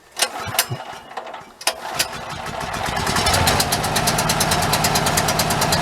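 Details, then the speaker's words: Generator in its housing started with the pull cord for the first time, because the electric start has been unreliable; a few pulls give sharp firing pops, then it catches and settles into a quick, even beat; normal start and run. "Okay, now we know. Pull cord back in action. Um, really funny to think about the fact that that is the first time I've actually used it because I've just always used the electric start."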